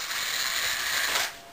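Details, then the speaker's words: HPI Savage Flux (electric RC truck) with a harsh, raspy, high-pitched grinding between spur and pinion gears; it only happens with the motor mounted against the spur, and the owner believes the mesh is set properly. "the grinder is coming from right in there and I know it's not the because I've already taken that apart and it only happens once I put the motor on and against the spur"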